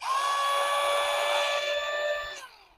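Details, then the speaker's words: Second kids' ride-on motor and gearbox unit, before servicing: high steady whine with buzzy edge while gearmotor spins, then winds down; odd noise from loose motor mounting screws. "देख रहे होंगे थोड़ी सी अजीब सी आवाज़ आती है इसमें। तो अब मैं इसको पूरा खोल के और आपको बताता हूँ कि इसको कंप्लीट कैसे करना है। इसमें जो अपनी मेन प्रॉब्लम है, वो जो मोटर के स्क्रूज है वो लूज है।"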